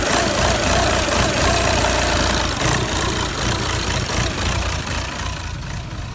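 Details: Audi A4 2.0 TDI CR (CAGA) diesel idle clattering unevenly and surging over a few seconds, after starting as vibration and slight knocking; caused by faulty fuel pressure regulator valve at the end of the common rail, fixed by replacing part 057130764H.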